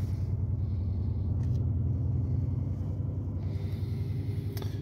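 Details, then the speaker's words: 2008 Pontiac Grand Prix 3.8L V6, 148k miles, check engine light with P0300: very rough, lumpy idle with an uneven stumbling beat, misfiring on cylinders 5 and 2, which share a coil pack; no spark from the number 5 wire, coil pack suspected. "very rough idle I don't know if you can hear that got serious"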